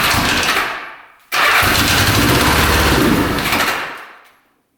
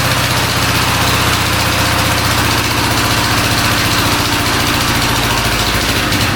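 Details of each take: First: 1975 Honda 1000cc motorcycle restarting after 25+ years in storage, spark confirmed on all plugs; fires with a loud burst, runs rough a couple of seconds, dies, then fires again, with a small fire near the tank; owner suspects the four carbs need cleaning; hard starting. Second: 1975 Honda 1000cc four-cylinder motorcycle, first run after 25+ years of storage, points cleaned and spark on all plugs, carbs not yet cleaned: a steady, regular idle putter for several seconds before shutting off; runs evenly.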